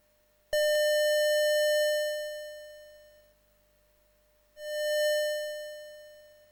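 A clean buzzy test tone near 600 Hz starts with a sharp click and fades unevenly before retriggering; the SID's voice 3 output is faulty.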